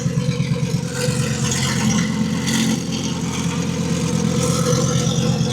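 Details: Twin-turbo 1000+bhp Lamborghini Huracan V10 on MoTeC, broken at Supercar Fest: uneven, lumpy idle with irregular stumbles over low rumble; failed high-pressure fuel pump starving it of fuel.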